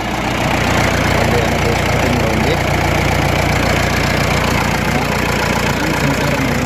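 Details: Bolero pickup diesel that would not start. Crank sensor wiring fault was fixed, the crank sensor replaced and fault codes cleared. It now starts and settles into a steady, even idle with a regular clatter, no stumbling or misfire.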